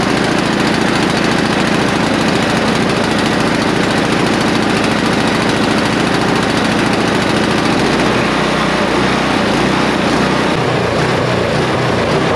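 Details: Neglected non-running snow blower, only the spark plug cleaned and fuel put into the intake: loud single-cylinder engine runs but its speed rises and sags unevenly, hunting; surging idle from a dirty carburetor that needs cleaning.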